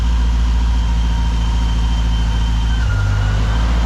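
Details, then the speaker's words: Supercharged Pontiac GTO V8 on first start with newly installed tuned ECU, stationary; deep, loud, steady rumble with slight pitch shift near the end, gurgle on come-down, coolant temp still low; healthy supercharged engine revving. "It sounds really good. when you stabbed it pretty heavy. Really good. I like the come down side, the gurgle at the end."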